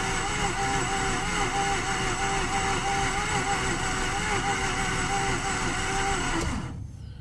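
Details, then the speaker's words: 2009 Mazda RX-8 Grand Touring, 6-speed manual, 215k miles, unrun for 8 months, cranked at -8° with about half throttle: irregular pops and stumbling, rpm climbing, then it fizzles out once the starter is released. Suspected low compression. "It really was just popping. Like it was actually kind of stumbling, coming up in RPM. I let off the starter and it kind of fizzled out."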